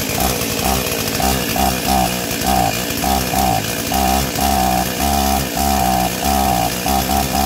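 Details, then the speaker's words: Stihl 036 junkyard chainsaw, first start after carb install and new NGK plug, no air filter fitted: rough, surging two-stroke note that keeps sagging and picking back up in uneven pulses; bogging. "Well, that's a good sign. It's got no air filter on it right now and it's bogging down, but hey, we got fire."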